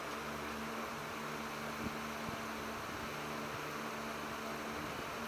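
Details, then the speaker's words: Windmere (Kuo-Horng) 16-inch oscillating desk fan, model NR-16/413, late 80s or early 90s, running on high: smooth steady whoosh with faint even motor hum, no rattle or scrape; normal running. "a pretty powerful fan actually plastic desk fans all often get the get a bad rap for not being super great quality"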